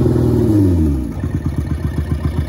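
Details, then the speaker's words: 2006 Honda Pilot with misfire, stalling and broken 4x4, jump-started after carbon cleaner was sprayed into the intake: it revs up, then settles into a quick chuffing, ticking puff with each firing. Exhaust leak, and the engine runs a little shaky. "other than the exhaust it's really not running that bad and it's a little shaky"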